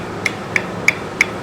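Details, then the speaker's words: Royal Enfield Bullet engine with head and hydraulic work already done but noise remaining: sharp, evenly spaced knocks about three per second over a quiet engine; crankshaft badly worn, crankshaft knock, crank to be repaired. "कितनी sound आ रही है देखो तो crank बिल्कुल ज्यादा खत्म है इसकी भाई"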